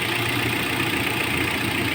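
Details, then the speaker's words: Hyundai engine idling, before-catalyst baseline for a fuel-saving gadget at the air filter: steady, even smooth hum with no knocks or misses; normal idle. "Ayan ang minor niya, no? So hindi naman siya masyadong sabihin natin na bad ang minor niya, but siyempre magandang klaseng makina ito."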